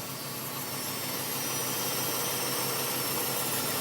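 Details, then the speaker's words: 2005 Nissan Armada LE 5.6L V8 at warm idle: loud, constant raspy buzz, loudest low at the front of the engine, present for over a year. Oil pressure drops when in gear, possible link unknown; fan clutch was checked and ruled out. "there's a buzzing sound and I'm not too sure if it's related to the oil pressure or not"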